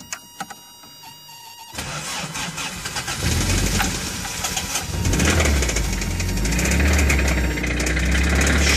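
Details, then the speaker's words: 1985 Toyota MR2, owner suspects it threw a rod: it cranks, catches and runs rough with a steady, fairly regular knock keeping pace with the engine. Bad bottom-end engine knock. "you can hear the knock it's pretty bad so that's why this car is so cheap"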